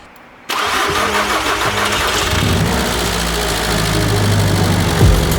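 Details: VW MK6 GTD with newly installed 400 hp race TDI engine, first start after long cranking: diesel catches and settles into a steady, even idle with a smooth low rumble; sounds healthy.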